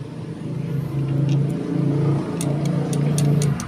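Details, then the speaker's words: Motorcycle that died when the throttle was squeezed, despite a freshly cleaned carburetor and a checked spark plug gap; after fitting a replacement part it picks up cleanly through repeated blips without stumbling. Normal revving after repair. "ito na ikinabit ko ayun tumino Wala naman K ako sa karburador kasi kalilinis ko lang"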